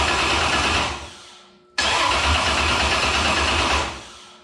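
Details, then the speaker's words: Cold start at about 45°F with gas-mixed primer: starter cranks in two even bursts but never fires; no fuel delivery because the recently rebuilt mechanical injection pump seized (end play likely too tight), breaking the drive shaft. "Let me take off the fuel line real quick. I don't think it's getting fuel. Well, I've been tracking it down. We're not getting fuel."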